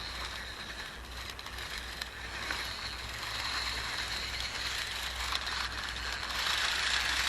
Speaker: I can hear the gears slipping already. Yeah, I think that's it. I think we've already killed that new gear.